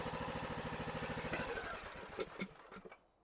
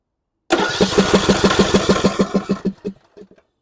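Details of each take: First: John Deere E100 riding mower that died while driving with a puff of smoke, in no-start diagnosis: it fires and settles into an even quick putter, about three beats a second, before winding down; starts and runs fine. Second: John Deere E100 riding mower that died while driving with a puff of smoke: steady starter cranking that never catches; fuel reaches the bowl but a stuck fuel shutoff solenoid isn't retracting, keeping fuel from the jet.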